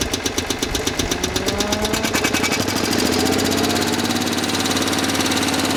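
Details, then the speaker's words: Generator on a 1972 Winnebago Indian D22 (Dodge M400 chassis), gravity-fed from a cup of gas, bad 30 A fuse jumped: cranking chugs around two a second, then catches and settles into steady even drone; starts and runs fine. "Fuck yeah, so the generator works."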